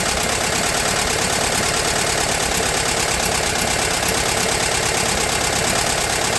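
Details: VW T2 Bay Window campervan, air-cooled carbureted flat-four, after engine refit and gearbox bellhousing replacement: busy but even clatter with a steady fan hiss and no missing beats, settled into a healthy idle.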